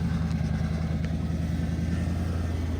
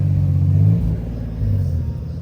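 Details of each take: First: 1998 second-gen Lexus LS400, 250,000 on the clock, just started after a battery swap: steady idle with a faint continuous hum, power steering pump whining; fluid low, leaking from the broken vacuum solenoid, a common LS400 leak. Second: 1998 second-gen Lexus LS400 after a new MAF was fitted: deep, smooth engine rumble swelling and easing back cleanly as it revs to redline, pulling evenly with no stumble; runs and revs normally.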